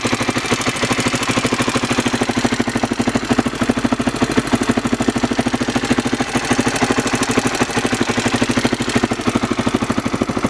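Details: Honda XR600R at idle: sharp, even tick about three per second over the engine note, top-end ticking of unknown cause.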